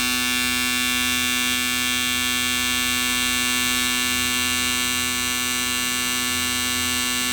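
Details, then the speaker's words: Race car fuel injectors used with E85, flow-tested on an Autool CT200 bench cleaner after dyno problems. Steady rapid buzzing at about 3–4 clicks per second. The dirty injectors flowed unevenly (66, 87, 100, 90 ml); clogged injectors. "So you can see the dirty injectors vary quite a bit."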